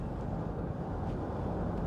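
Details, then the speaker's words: Nissan Elgrand E51 after replacing worn front anti-roll bar drop links: driving over a bump gives only even road and tyre rumble, no clunk or knock; the earlier disconcerting front suspension noise is gone. "there's just that disconcerting sound and now no noise"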